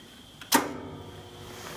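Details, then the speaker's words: Contactor in a ProFusion EH-4604B 7500W electric garage heater, newly wired to an external 24V low-voltage thermostat, pulls in with one sharp, solid clunk when the thermostat is turned up, then a quiet hum as elements warm before the delayed fan; normal start-up. "So you hear a big clunk from the contactor. So the elements are warming up now."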